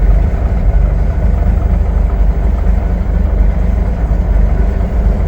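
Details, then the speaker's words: M916 truck with a Cummins 400 Big Cam 3 diesel, said to start like this in any weather: a deep, steady idle rumble, even and unhurried with no knocks or misses; normal idle. "It starts like that all the time. I don't know how to describe it. It's actually quite impressive."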